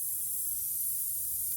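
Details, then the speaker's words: 1992 Miata rear tire after a gravel burnout ripped a nail out: a constant sharp hiss with no pulsing as air escapes steadily. "did a burnout on the gravel must have knocked something loose cuz now we got a leak"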